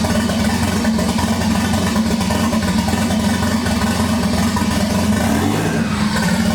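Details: 1988 Toyota Supra with swapped 1JZ-GTE VVTi, first start-up after fuel supply problems: strong, even engine note holding steady with no misses or clatter; freshly started engine running cleanly.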